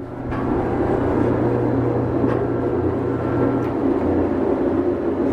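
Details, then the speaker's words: Hobart 4346 commercial meat mixer-grinder, one-owner, dealer-serviced, on three-phase via converter, running mix and grind with paddles turning; steady low hum with even mechanical churn, no knocks, scrapes or surges; running smoothly and healthy. "We're going to go ahead and put on mix and grind. We'll take the camera a little closer and show you how smoothly it's running."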